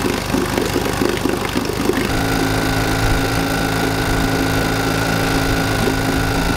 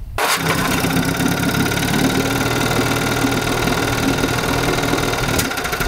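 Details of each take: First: 1952 Johnson Sea Horse 5 hp outboard (model TN-28), revived after sitting 50 years: earlier recording of a slow, lopsided putt with uneven beats and a labouring drone, running so slowly on only one cylinder. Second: 1952 Johnson Sea Horse 5 hp TN-28 two-cylinder outboard after ignition, pump, gasket and carb work; fires at once to smooth even buzz, changes when one plug disconnected, both cylinders firing. Normal running.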